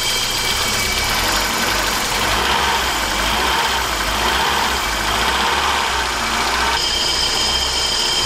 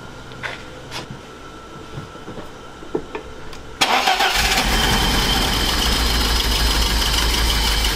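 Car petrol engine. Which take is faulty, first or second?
second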